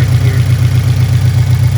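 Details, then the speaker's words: 2013 Scion FR-S idling after a built engine replaced the stock one that had a head gasket failure, about 30 minutes running: steady, even low idle, no ticks, knocks or misses, no leaks; normal idle. "The car's running good. So that means all of the things that needed to be installed were installed, and I didn't forget anything."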